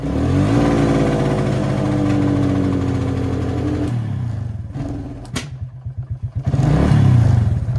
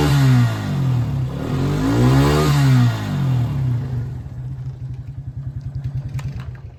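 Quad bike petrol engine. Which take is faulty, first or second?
first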